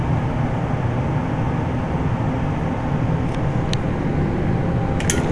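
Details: Carrier Infinity GreenSpeed 25VNA inverter heat pump outdoor unit starting in cool mode: low steady hum and rumble coming up to speed, no grinding or squeal. It sounds like something is wrong but starts the same as in heat mode, which is normal.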